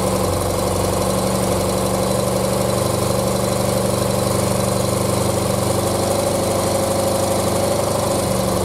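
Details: 1976 BMW R100S airhead boxer twin, dealer-rebuilt 20 years ago and stored unrun, carbs untouched and untuned, cold, first run: steady, loping idle at about four pulses a second, even and unbroken; freshly rebuilt engine runs fine.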